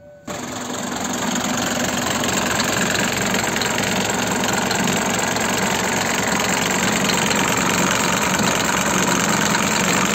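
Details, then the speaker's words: Mercedes 5-cylinder diesel fitted in a SsangYong, after overheating twice, the head machined and the head gasket replaced twice: at idle, a loud regular knock at about four per second; cause unknown. "نضت لي واحد طرطيقه ياسر عمي مختار، طرطيقه كبيره في الموتور."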